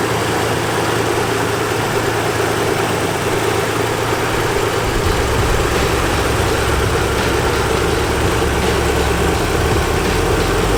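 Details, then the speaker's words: 1987 Nissan 300ZX, hot after a hard test drive, heard in the engine bay: steady, even idle rumble with no knocks, misses or ticks, no leaks or smoke; normal healthy idle. "I mean, everything is looking like it should. It sounds like it should. I don't see any leaks. I don't see any smoking."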